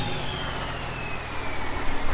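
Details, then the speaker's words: Truck engine after temporary patch of an exhaust leak (pipe broken and full of holes on both sides): deep, even note building as revs rise, no puffing, ticking or blowing; exhaust sounds sealed and healthy. "sounds good you fix her yeah we had a bit of an exhaust leak"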